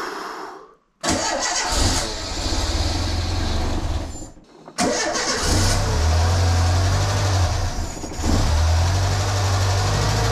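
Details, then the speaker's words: Renault Super 5 on its first start after a year and a half of restoration, with the fuel circuit just re-primed: engine catches, dies, restarts and surges unevenly with irregular pops; unstable, needs adjustment, and the owner wonders whether the fuel circuit is fitted the right way round. "je te jure c'est pas grandchose ça fait que péter c'est pas stable il faut que je fasse des réglages"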